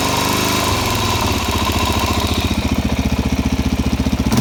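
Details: Suzuki DRZ400SM warm single-cylinder idle after about 50 km riding with fuel in the oil: steady fairly quick light tick over the thump appearing once warmed up; cause unknown.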